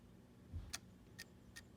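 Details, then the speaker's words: Nintendo Wii (RVL-001) disc drive gives three sharp, dry clicks about half a second apart over a low hum while failing to read a disc; the disc-detect mechanism is suspected faulty, and the drive was later replaced. "you can see the red laser was right over there and you could hear it kind of clicking it's trying to read"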